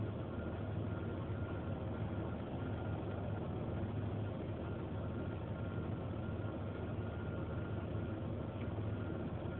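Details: 1993 Ford Explorer: steady low idle rumble, slightly uneven with no clear regular stumble; rough idle with suspected misfire, cause not pinned down.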